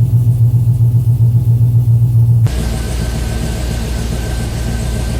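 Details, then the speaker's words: 2007 Chevy Avalanche V8, first start after DOD/AFM delete, Texas Speed performance cam, rebuilt heads and headers, DOD disabled and timing retuned in HP Tuners; loud header rumble with burn-off settling into steady, even, hollow lopey idle, no engine light; normal idle. "all right i always love that initial header burn off sounds pretty good you can definitely hear the hitters they always have that i don't know that hollow sound to him oh yeah that sounds good"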